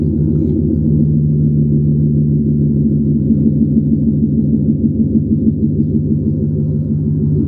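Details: 2012 GMC Yukon Denali V8 at idle after swapping the cast-iron manifolds for Jet Hot coated shorty headers: a deep, smooth, steady rumble with no ticks, puffs or exhaust-leak chatter; no sound change from the cast iron. Normal idle.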